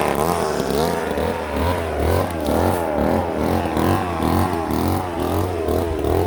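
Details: Old Ohlsson & Rice two-stroke chainsaw, sat 20+ years, after blowing out a plugged fuel tank air vent restored fuel: revs up and falls back, buzzing freely and keeping running without dying; running normally.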